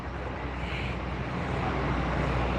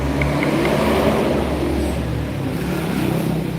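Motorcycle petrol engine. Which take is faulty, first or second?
second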